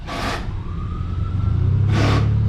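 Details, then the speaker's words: Hyundai Elantra cabin blower motor with AC on; low steady drone with air rushing, vibration from leaves passing the filter into the blower wheel, unbalancing it; fixed by cleaning. "hear that vibration that simple mean you have a bad blower motor are you have a bad blower motor or you have some leaves or something get to pass the filter and get down into the the mold on the motor blade itself so it make it unbalance and it vibrates so you can hear that"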